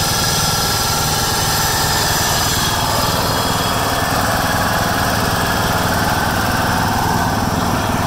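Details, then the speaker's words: 1996 John Deere LX176 lawn tractor, Kawasaki engine, after sitting years on old gas, carb untouched: steady even chug with no surging, sputtering or dropouts; normal smooth idle. "Idle's pretty good. That's wide open right there. It's not surging or sputtering, so I'm pretty impressed."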